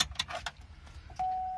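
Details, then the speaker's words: 2005 Hummer H2 front wiper motor after replacement, blades back in original position: a few light clunks, then a clean steady whir without grinding; sounds much different than before, normal operation. "the blades that sounds a whole lot different to when we started that looks fine to me as long as the cover goes back on we'll be okay"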